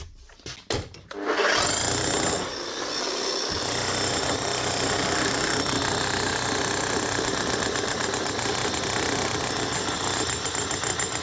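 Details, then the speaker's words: 2005 Makita HM1202C demolition hammer, 20 years old, after a rebuild with new bearings, brushes and grease: after a short spin-up it settles into an even, rapid hammering of about four blows a second. It runs steady and strong, hammering properly again. "Yeah, that is her. Up and running and hammering like she should again."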